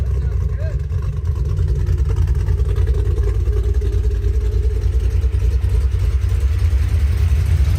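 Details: 3V Mustang GT 4.6 V8, newly installed engine with new clutch, flywheel, headers and Steeda underdrive pulleys, driven after install: deep loud even rumble holding steady under load, no knocks or ticks; normal running, clutch smooth.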